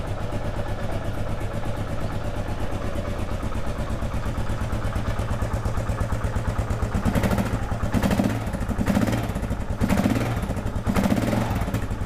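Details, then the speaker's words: 2001 Kawasaki KLR650 single, first start after sitting about 4 years, with new battery, spark plug and cleaned carburetor, warming up: even idle thump, a few throttle blips returning smoothly, a little squeak; normal idle. "We'll let it warm up a little bit. Sounds okay. Sounds like a KLR. It's got that little squeak."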